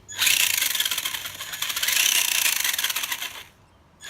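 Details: Traxxas RC car after repairing slipped gears and lining them up straight: high, even motor and gear whine that stops and restarts cleanly with no grinding; the gears mesh smoothly.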